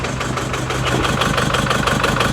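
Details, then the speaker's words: Chevy Colorado with the Baby Max diesel, about 4,000 miles after purchase, idling with a bouncing tensioner: loud rapid hissing puff on every firing pulse from an exhaust leak at the back of the turbo, likely a missing bolt; pushing on it quiets it slightly. "There's a freaking exhaust leak coming out the back of the turbo. I can tell. I think it's missing a bolt and I can push up on it. It actually quiets it down just a hair."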